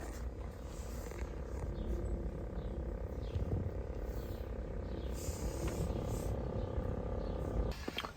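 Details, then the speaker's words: 2003 BMW X5 E53 climate control unit, infotainment screen removed: a steady low buzz with a faint fixed hum from behind the module, from its dry internal fan; fixed by a tiny drop of lubricant. "you can hear the buzzing that comes from behind the climate control module especially out of here and that's based on I know because of a fan"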